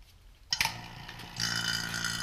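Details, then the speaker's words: Vacuum pump evacuating the A/C system of a 1993 Corvette C4: pump kicks on and settles into a harsh, loud rapid clicking clatter while still pulling air out; it becomes much more subdued once nothing is left to suck. "hear that kind of loud clicking that loud clicking will kind of go away and it'll become much more subdued"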